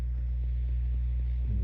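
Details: 1965 Fender Deluxe amp (non-reverb), mic right in front of the speaker: deep, steady 120 Hz hum with nothing above it, bias supply ripple getting through without the cap on the bias pot wiper to ground.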